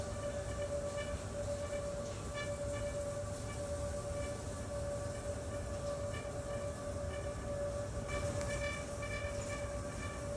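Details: Home HVAC return grille giving a steady high-pitched whistle over the low rush of air; kinked, poorly installed flex ductwork suspected as the cause.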